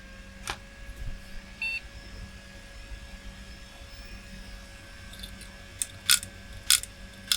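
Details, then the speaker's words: Old flea-market retro PC at power-on: a beep, then scattered sharp clicks and chirps from the hard drive with no steady spin-up hum; the drive is not detected and appears to be failing. "oh it's making sounds not healthy sounds but making sounds huh it sounds like a poorly hard drive yeah it doesn't detect it"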